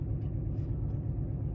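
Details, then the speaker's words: 2014 Dodge Charger Pursuit HEMI V8 AWD, idling at 14 degrees outside, heard inside the car, exhaust cutouts closed: deep, steady, even low rumble, no miss or tick; normal idle. "As you can see, it is 14 degrees outside. And this is what it sounds like at idle inside the car."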